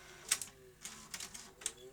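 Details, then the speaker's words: Sony SL-HF950 SuperBeta Betamax VCR with a capstan servo fault, in fast forward: irregular clicks and clatter over a faint rising whir, transport labouring and near stalling. Unclear whether reel drive or head-to-tape sticking is the cause; rewind sounds better. "Doesn't sound great, does it? And what I don't know at the moment if that's due to real drive issues or head to tape sticking issues."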